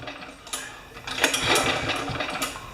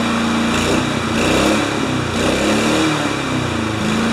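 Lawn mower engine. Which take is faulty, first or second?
first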